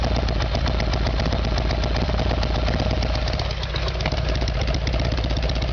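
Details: Harley-Davidson Evolution Sportster, carburetor fault, rear cylinder not firing before new iridium plugs and timing work; loud V-twin idle with uneven, stumbling beats about four per second instead of a clean lope; rough running.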